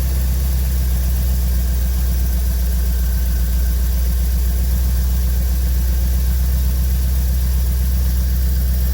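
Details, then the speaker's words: 1985 Chevrolet C4 Corvette after fuel pump replacement for a starts-then-dies fault, fuel pressure about 30 psi; steady even low rumble, constant idle, no knocks or misses; normal running. "okay seems to be running about 30 psi spiked up to about 40 when i shut it off i'm gonna look up to some more specs but hey we got it running"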